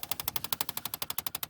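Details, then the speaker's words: 2008 Chevy Impala: rapid, even clicking (about twelve a second) behind the dash above the gas pedal with the key on, from a stuck blend door actuator. The only fix is replacing the actuator. "and that needs to be replaced somehow they get stuck and they stop working so they go click click click click click click and the only way to stop that is to change that actuator"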